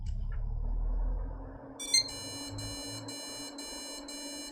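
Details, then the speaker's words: Budget custom gaming PC with a test CPU cooler, old DDR3 RAM and an old near-flagship CPU: fan winds down, then a string of short high beeps instead of one beep, different code, yet it posts; cause unknown. "okay that's a different beat code and it posted right i'm going to turn that off and turn it on again because it should have just beeped once now that just coughed out a whole load of beeps when what it should have done was just go beep"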